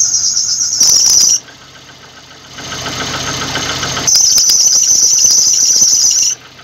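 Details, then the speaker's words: VAZ-2115 at idle with low beams and the heater on: the alternator belt gives loud, piercing squeal bursts. The idle control valve is new; the weak alternator outputs only about 11–11.3 V under load and is blamed. "очень неприятно конечно это ощущение когда ремень свистит все внимание на твою машину твой автомобиль это конечно крайне как неприятно но вся причина ребята вся причина в генераторе"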